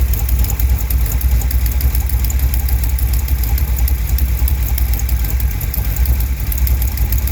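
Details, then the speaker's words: 1971 Chevrolet Cheyenne, factory big-block 454 V8 on Jegs Bandit EFI, first start, cam believed broken in, rear jacked up; deep, loud idle with fast, sharp puffing tick on each exhaust pulse. Header leak at number two cylinder. "I got a header leak on this uh number two cylinder"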